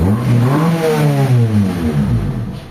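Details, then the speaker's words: Honda Civic after fixing idle stuck at 1,200 rpm (throttle body air screw opened too far, distributor over-advanced); with AC on idle rises and holds, IACV fine, quiet smooth, clean throttle blip without stumbling; normal revving. "Kasi napakaganda tahimik na tahimik, walang uga. Smooth yung makina nya kahit naka-aircon mga boss."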